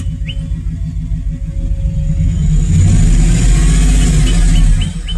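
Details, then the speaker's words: Chevy truck misfiring on cylinder one from a bad ignition coil pack: deep rumbling idle with an uneven, lumpy beat about three per second. "so this is what your car sounds like with a bad coil pack it's messing and it's running"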